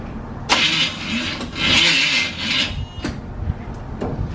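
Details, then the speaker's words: Chevy small-block 350 truck engine just rebuilt on a budget, low battery: cranking catches in uneven bursts with sharp pops and hissy blasts, fireballs backfiring through the carb, not settling to idle. Sputtering start with backfire. "It's starting. That's the fireballs I told you about."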